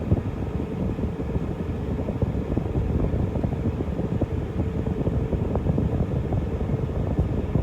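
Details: Idling car with an added 12 V condenser fan, fitted because the AC wasn't cold when stopped at red lights. A steady whoosh and faint hum are heard; the fan runs normally and the AC now stays cold while parked.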